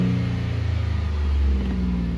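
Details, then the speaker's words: 2007 Jeep Liberty 3.7L with a stalling/no-run complaint, now running better but not perfect, intake snorkel off and breather tube broken: quick, clean revs rise and settle with no stumble; normal throttle response. "Pretty good for a Jeep, I suppose."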